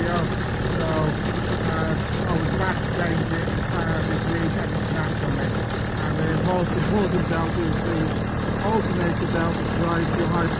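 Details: BMW E46 330d, M57 diesel at idle, original crank pulley near 200k miles with visible play, after the AC belt snapped: steady beat about three per second with a rattly vibration underneath. Worn crank pulley damper, needs replacing.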